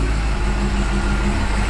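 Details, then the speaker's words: 2005 Chevy Corvette C6 V8 after fuel system work (bigger ground, check valve, Racetronix harness), no fuel pressure drop: loud idle with an uneven, lumpy beat and fluctuating readings; rough idle, cause unclear (fuel, air or charge suspected). "The car is idling really rough though. I don't know if you guys can hear that."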